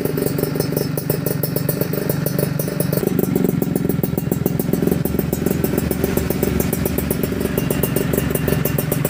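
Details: Yamaha F1ZR 2000 two-stroke motorcycle before restoration, engine runs but bike not rideable: crisp even crackle with fast steady beat and a couple of light blips; engine sounds healthy and clean.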